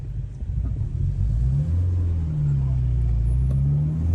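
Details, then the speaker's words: 2001 Citroën Xsara VTS running rich after fuel injector replacement: low uneven rumble, sputtering and stumbling on light throttle pulling away from a stop, unburned fuel backfiring in the exhaust, strong exhaust smell; engine running rich. "the car will also sputter under small throttle inputs which is a result of the fuel that isn't burned in stroke 3 getting into the exhaust causing backfiring this can happen when starting the engine when taking off from a stop"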